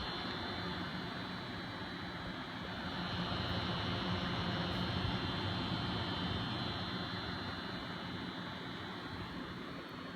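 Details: Noctua NH-D15 CPU cooler with its 140 mm fans in pull (sucking air through the fins) because of tall RAM: steady airflow with a loud, low, rough buzz; quiet in push.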